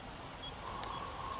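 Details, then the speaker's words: OKM Bionic X4 detector during calibration: steady high beep near 1 kHz, warning calibration value too high (255); beeping stops when knob lowered (81, too low). "When it is very high, then you can hear the beeping. This is a warning that it is too high."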